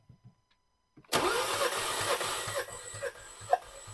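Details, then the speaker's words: 2015 Nissan Juke 1.2L, towed in shaking and smoking with P0300 and cylinder 4 misfire codes, during a cranking compression test: even chugging beat about two per second; this cylinder reads about 175 psi, good. Cylinder 4 later reads about 40. "it's about 175 PSI that's mean they're good that's definitely good and the same"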